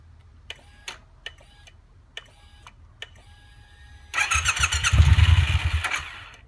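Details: Triumph T120 motorcycle that won't start: sharp single clicks about once a second while the clutch lever and starter switch are worked, then a short rough cranking burst that never catches; owner suspects a clutch or starter switch sensor fault.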